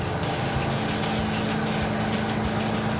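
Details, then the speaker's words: Roadkill Super Camaro V8 driven after a carburetor change: steady, even drone under road noise with no stumbling or popping. No longer lean-misfiring, quieter, not faster. Normal running. "Oh, it's a different car, dude. Runs way better."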